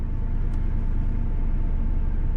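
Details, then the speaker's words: 4.6 V8 truck, first start of spring after winter sitting, battery recharged after going flat: uneven, stumbling low rumble with an unsteady beat at cold idle; rough idle, cause unconfirmed. "Yeah, I had to put that battery on a charger. Oh boy, that's rough."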